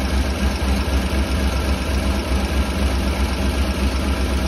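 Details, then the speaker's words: Old Honda fixer-upper with new plugs, wires and distributor, misfiring severely when cold and chugging at idle with uneven low puffs. A bad exhaust leak blows from the manifold flange; the catalytic converters are still fitted. Exhaust manifold leak with misfire. "the exhaust smells terrible and the one thing that I immediately hear is an exhaust leak on this side that's pretty bad here picking our guests coming from right there"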